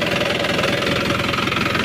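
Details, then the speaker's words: Isuzu Panther turbo pickup diesel after restoration (complaint: engine often stalled), fuel filter issue, injection pump timing being returned to standard for a smoother sound; even, steady idle clatter with no harsh knock, healthy idle. "kita coba hidupkan udah enak hidupnyaak harus as untuk suara kita bikin standar lagi ya"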